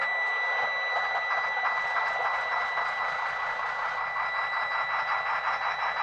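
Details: 2001 Freightliner FL70 CAT diesel, automatic, with broken speedometer and oil pressure gauge needing replacement: constant high-pitched buzzer over steady diesel clatter at start-up; dash warning active, cause not found.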